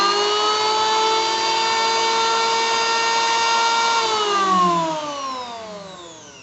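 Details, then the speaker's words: BULL BL0900 electric wood planer, 220V 500W, 16,000 rpm no-load: clean steady high whine then smooth falling pitch on wind-down, no rattle or grinding; normal no-load running. "Bagaimana menurut Anda? Suaranya cukup mantap, kan? Sangat menyenangkan mendengarnya. Ini lancar."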